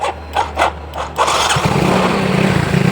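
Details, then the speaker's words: Yamaha Mio Soul GT scooter: pump now hums at key-on; a few starter bursts, then it catches about a second in and settles into a steady, even idle with no misses; normal running. "Ini teman-teman sambil kunci konta on dia udah dengung. Ah, hidup, Teman-teman."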